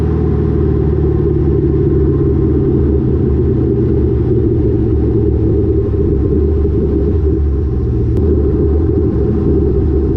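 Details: Lowered car (rear coilovers) with Borla catback, after a header-wrap fix on the over-axle pipe: even low road and exhaust drone under the car, with no thuds or knocks; the exhaust no longer contacts the axle or suspension.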